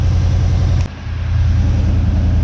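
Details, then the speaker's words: 1979 Chevy C10 engine after 10+ years sitting, idling heard in background during heat cycle with a replacement belt turning the water pump: deep steady rumble, even beat, no knocks or squeals. "All right, well, you can probably hear the truck running in the background."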